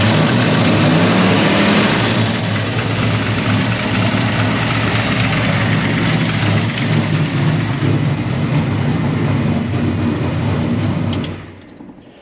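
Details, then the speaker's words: Mini Ford F-150 pickup at cold start: rough idle with an uneven clocking knock, roughly three a second; leak-down test afterwards shows heavy cylinder leakage, cause still unknown. "And I just want to start it up for you guys really quick so you can hear what it sounds like. You kind of hear like a clocking noise."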